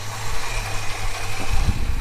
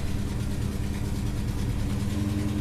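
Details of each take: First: Holden HK petrol engine idling after the exhaust manifold leak was fixed: a steady low rumble with no ticking, puffing or power steering pump rattle, a normal quiet idle. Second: Holden HK first start after work: loud, rough idle with a deep blatting exhaust note from a leaking exhaust manifold; engine otherwise sounds nice.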